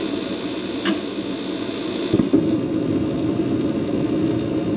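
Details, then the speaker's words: Mr. Heater Big Maxx 50,000 BTU garage heater after blower motor replacement, side panel open: flue fan hums, then soft click and whoosh as burner lights cleanly and settles to steady roar; normal ignition. "ignition all right and then as soon as the tubes heat up the fan will kick in beautiful"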